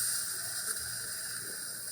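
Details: Gaggia Brera espresso machine after full service, steam test as thermal block heats rapidly; quiet steady hiss with faint gurgling, pushes water out first before pump ramps up, no strain or rattle; normal steam startup.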